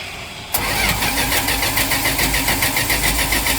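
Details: 1983 Dodge D150 cranked in neutral: starter spins the engine steadily at about three and a half pulses a second but it never fires; coil gives plenty of spark and fuel is present; owner suspects a poorly fitting coil wire.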